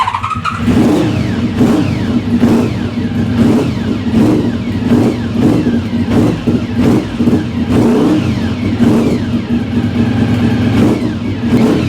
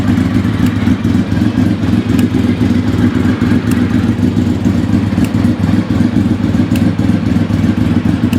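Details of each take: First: Project engine after long storage, engine catches and settles, then blips up and down cleanly in repeated even revs with no misses or knocks; choke just turned off, a ticking was heard earlier, cause unknown; running fine. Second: Vehicle stood about 4 years, just started easily: smooth even idle with a light irregular top-end tick of unknown cause, to be investigated; clutch also has a problem.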